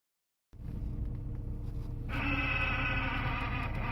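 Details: Nissan S15 with new Exedy clutch kit, throw-out bearing and spigot bush, about 50 miles then stored for years: idle, then a high steady whirring when clutch pressed, neutral or in gear; throw-out bearing suspected, unclear.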